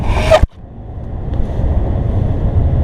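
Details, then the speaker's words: 1997 Toyota Camry XLE test drive, recorded from the back seat after right rear wheel bearing replacement: after a brief bump only steady low road rumble remains. No growl or hum appears turning left or right; the bearing is quiet. "yeah me neither that's good news so we fixed our wheel bearing so that's good news so can't hear it and uh yeah it makes no difference where I turn left or right cuz there's no noise"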